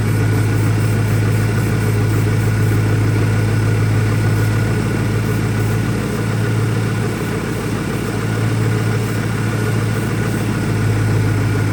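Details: 2001 Ford Mustang Cobra idling rough, deep loping uneven pulse with a dip midway; new Bosch plugs fitted, owner asks about possible vacuum leaks, cause not yet found.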